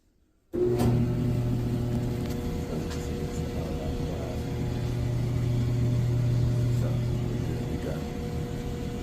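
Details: Samsung clothes dryer after replacing worn drum support rollers and idler that caused the noise: starts and settles into a smooth, steady low hum with no squeal, thump or scraping.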